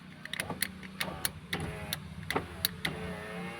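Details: Maruti Suzuki Alto 800 power window after the switch contact was repaired, ignition on: clicks from the switch, then a smooth, even motor whir as the glass goes down and up with no grinding or binding. The window now works properly.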